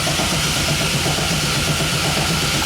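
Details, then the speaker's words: LS1-swapped Genesis Coupe before its first start, with a new starter ground fitted: steady, strong, even cranking that primes the oil system, reaching 77 psi oil pressure while cranking. "Okay, so we primed the oil system now. We finally got oil up and around there. 77 pounds of oil pressure cranking."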